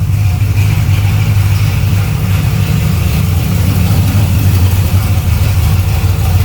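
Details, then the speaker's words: V8 idling at about 700 rpm: a deep, loping, steady rumble with no knocks or misses; sounds good. "I like it. It sounds good. It does sound good."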